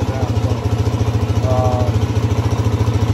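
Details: Idle of a 2006 Suzuki DRZ400S, bought cheap, that would only start when it wanted to and would start, run and shut down; the idle speed is being adjusted. It gives an even, steady low thump at about three and a half beats a second with no misses or surging: the single is idling cleanly.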